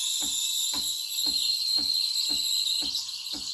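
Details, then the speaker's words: Used Breville Barista Express BES870 frothing milk, wand tip near the surface: steady high hiss with soft paper-tearing chirp about four times a second for the first seconds; air being injected into milk normally. "keep the milk spinning basically keep the wand tip close to the surface of the milk so you'll hear this hissing sound for the first few seconds"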